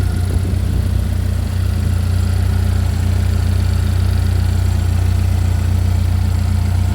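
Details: Chevy Equinox after an engine replacement, running just after first start-up: smooth, even idle with a steady low hum, no ticks, knocks or hunting. A crackling sound was noted, with smoke blamed on stuff on the hot engine.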